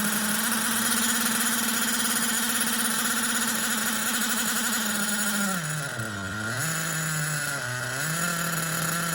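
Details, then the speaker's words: 20-year-old Hyper 7 nitro buggy engine, freshly unlocked from seizure at top dead centre, warmed up, carburetor fuel flowing: a high buzzy tone that sags and recovers twice; it runs unevenly with low compression. "So now the motor is, I mean, it doesn't have a whole lot of compression, but it does have compression."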